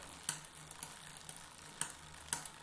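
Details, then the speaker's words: Bicycle rear derailleur during setup and limit-screw adjustment: sharp, light ticks at irregular intervals, about four in three seconds, over a quiet drivetrain. Backing the screw off further is needed to stop the tick. "it's sitting down a little bit still no noisy you still hear that little tick back it off they're a"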